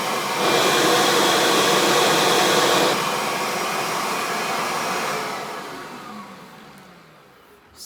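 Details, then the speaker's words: Kirby vacuum airflow test: loud steady motor roar that drops and softens as the head tips over the edge, then winds down; the change is airflow rather than the motor, showing strong, healthy airflow. "the same difference your vacuum cleaner this Kirby is still making the same change that's airflow you're hearing"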